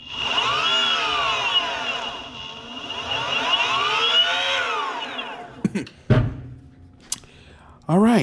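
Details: Boosted Stealth electric skateboard, under a month old with about 200 miles: motor whine swoops with throttle, with a rough, gritty grinding or clicking edge isolated to the back left hub motor; owner assumes the motor needs replacing.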